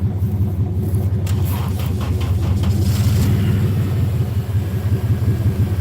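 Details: 1997 Chevy Silverado, nearly finished project, jump-started: steady low rumble at idle with an even firing beat and no knocks or misses, the engine running normally.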